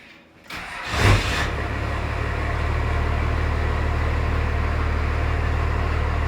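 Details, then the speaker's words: First-gen Cummins diesel, cold start after sitting a week in very cold weather. Brief crank, then a firm, regular diesel clatter at idle; starts cleanly and runs healthy, normal cold start and idle. "I think it actually sounds better like trash that sounds healthier but we're gonna let her warm up a bit cuz this thing hasn't really been ran the last week and it's been really cold"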